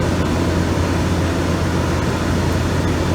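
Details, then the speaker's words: GE AEL14AVL2 window air conditioner, fan switched to medium speed: steady even whoosh with low constant hum, no rattle or squeal; fan running normally. "That's what I started with, so go on to medium, and you'll hear the difference on the fan speed."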